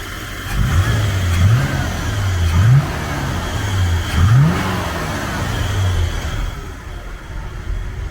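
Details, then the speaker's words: International 1210 truck V8 with a new Holley 2300 Super Sniper EFI, still in the learning phase: four clean throttle blips. Revs climb smoothly and settle back with no stumble or popping. Running healthy. "still got a little learning to do but yeah no but I mean it sounds good"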